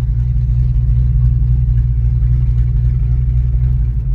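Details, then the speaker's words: 1989 Ford Mustang GT V8 (Fox body), restarted after years in storage, plugs about two years old: deep uneven idle stumbling from a misfire, plus an unidentified odd sound. "I don't know what that sound is I've never heard of foxb do that before yep it's got to misfire we're misfiring"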